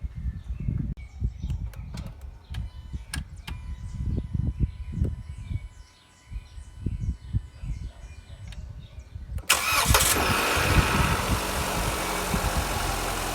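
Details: Jeep Renegade/Compass, morning cold start during battery test (voltage must not drop below 10 V while cranking; 14.36 V running): starter cranks briefly, engine catches cleanly, settles into steady even idle with no knocks or misses. Normal cold start and idle.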